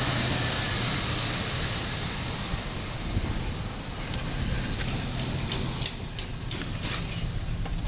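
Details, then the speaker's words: 1993 Buick Roadmaster 5.7 V8, 100,302 miles, engine test: a smooth, even idle under windy hiss with no ticking, knocking or stumble; sounds good, a healthy engine. "Vehicle has 100,302 miles. Sounds good."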